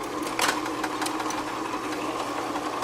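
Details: Advent 200 plain paper labeler labeling small-diameter plastic bottles, overhead pressure arm adjusted: even mechanical whirr with steady mid-pitch hum and light clicks; rollers run smoothly without jumping, normal running.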